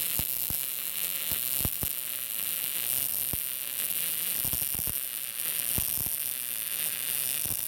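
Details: Arccaptain MIG200 inverter MIG welder, welding vertical down on an inside corner with a push technique; steady frying sizzle with occasional sharp pops and no long breaks; judged not bad and passing all tests.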